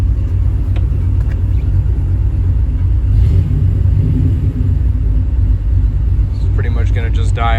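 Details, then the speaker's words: Rebuilt small-block Chevy 350 in a truck, idling: deep, lumpy rumble close to stalling, and it dies when put in gear. A new distributor did not help; the fault was traced to the camshaft and fixed by replacing it. "all right I'm going to show you guys what it does when it sits here in idles"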